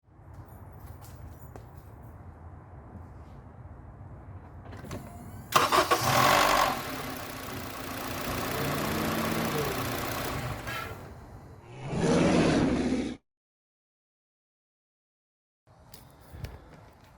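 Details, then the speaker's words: 2012 Honda CR-V 2.4 K24 engine start-up: cranks and catches with a loud harsh rattle for a second or two, then settles, the typical VTC actuator rattle; fix is replacing the timing kit with a valve adjustment. "so as you just heard our famous VTC rattle from Honda's inability to create one that doesn't rattle on a 2.4 after 2008"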